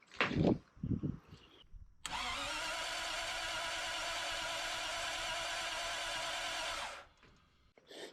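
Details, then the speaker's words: 1939 Buick coupe 248 engine being revived, cranked with ignition off after reassembly (owner checking whether he did it correctly): steady, even cranking about five seconds with no weak beats; compression sounds healthy and even, definitely better than before. "Um, so yeah, we'll see if I did it correctly. I should see some pretty healthy compression."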